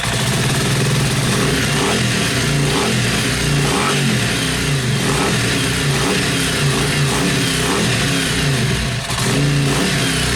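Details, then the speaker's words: Yamaha Virago XV500 V-twin café racer with a newly mounted SU carburettor and ram pipe: crisp rev blips with a deep, throaty intake roar through the ram pipe, picking up cleanly with throttle; running healthy. "Did you hear that induction noise through that ram pipe? Did you hear that fucking roar?"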